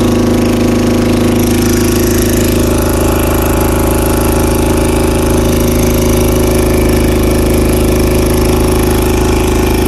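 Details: 2000 Honda CBR600 with carburetors holding a steady fast idle. A carb-cleaner spray test found a vacuum leak at the intake boots, with all four leaking. It started slowly and had no throttle response below about 1500 rpm; the fix is new boots.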